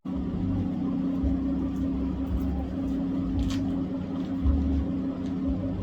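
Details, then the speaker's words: 2015 Ford F-150 Lariat, 3.5L EcoBoost, with a new Corsa exhaust and cold air intake: steady, mellow, moderately quiet drone with an even hum, no rasp; not too loud, healthy. "so not too loud not super annoying just enough that because I mean again I'm not 18 anymore uh so I just wanted something mellow"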